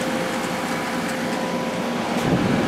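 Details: 2003 GE 12,400 BTU Samsung-made window air conditioner after cleaning, compressor running, switched to medium fan at about 11.35 A: even airflow rush over a steady low hum with no rattles or squeals; cooling normally on medium fan.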